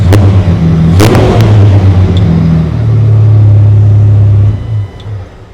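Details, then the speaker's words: 2002 Jeep Wrangler 4.0 liter, crank and cam sensors connected, no throttle given: fires instantly on a short crank and settles into a steady, even idle with no misses before shutting off; healthy start. "I mean, fires right off. I've not given it any gas or anything yet."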